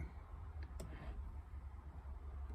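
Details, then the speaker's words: 1969 Mini Cooper S 1275, not started for a couple of months, after Pertronix install: a few sharp isolated clicks over a low hum as the electric fuel pump primes with ignition on before starting; normal. "right over there you'll hear a couple clicks of the electric fuel pump oh yeah fuel pressure"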